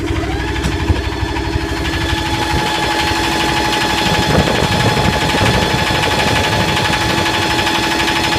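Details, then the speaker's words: Yanmar SB12 marine diesel after fuel line repair, about 41°F, shifted from forward into reverse under load: clatter settles into a firm even beat, no misses or stumbles; normal healthy running. "It's under gear. It's in gear now, forward. Seems to be pretty strong. Go ahead and put it in reverse."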